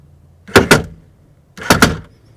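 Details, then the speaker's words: 2000 Toyota Camry CE rear door power window going up: two sharp double bangs, a machine-gun-like noise. A worn regulator piece lets the motor run past the stop; the regulator needs replacement. "See that piece is worn off and not holding. All right. So, we go in the other direction, it pops up. See? We go in the up direction, it goes down, and it's allowing the motor to go past the stop. So, this door needs a new regulator."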